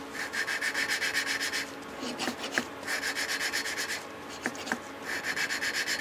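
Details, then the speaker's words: Homemade water-cooled Briggs & Stratton engine valve being lapped with fine compound: gritty back-and-forth rasping, about four strokes a second with short pauses, cutting evenly. "you can hear it cut but doesn't cut as well as the other stuff so you're doing good all right we're going to let him do this that sounds pretty good buddy"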